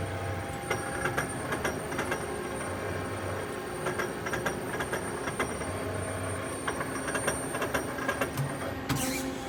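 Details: 1997 Okuma Crown 762S-BB lathe turret makes sharp irregular clicks and ticks over a steady machine hum while indexing; source unknown.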